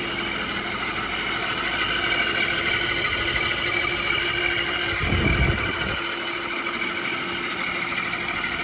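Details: 2006 Audi A6 4.2 V8 idling, started the morning after noise began while driving: steady piercing high screech at constant pitch, seeming to come from bell housing near starter; owner doubts timing tensioner, suspects water pump.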